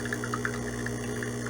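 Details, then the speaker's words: De'Longhi espresso machine pump, preheated, brewing illy Classico espresso grounds (very fine, lightly tamped): steady low buzz with labored, wavering rattle as flow chokes before half a shot; pump straining against over-fine grind. "Really coming out the right side. And now it's struggling. That's the pump just dying."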